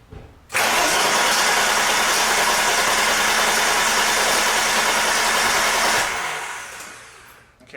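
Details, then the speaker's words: 1987 BMW 325, cold, with a new fuel filter and fuel line just fitted and the pump refitted. Fast steady starter churn for about five seconds without catching, then winding down. There is no fuel yet in the filter or pump, so it needs a long crank; it usually takes 10–15 seconds cold. "w typically when I go to crank this thing I gotta crank it for about five to ten well usually 10 to 15 seconds but it's cold before it will finally start to fire there's no fuel in the fuel filter there's no fuel in the pump so it's going to take a little while for that to happen"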